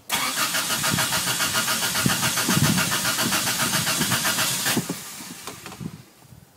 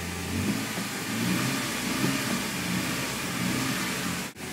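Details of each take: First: Toyota started right after cleaning the idle air control valve in the throttle body: catches and runs loud and uneven at about three and a half pulses a second, sags and nearly dies, with smoke; hard starting and rough running at first. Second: Toyota with rough running and starting, after cleaning the idle air control valve in the throttle body: after a rough, smoky start, even steady engine note with smooth light rev and no stumble or knock; normal idle and rev.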